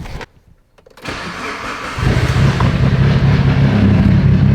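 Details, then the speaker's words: Mitsubishi Evo 8 after head work (cylinder head checked for warp, cylinder four suspected warped) starts perfectly: starter cranks briefly, engine catches right away and settles into an even, steady idle with no misses or hiccups; normal start. "i went and fired up the car again she started here i'll just show you guys she starts up perfectly she's good to go no issues no hiccups no nothing"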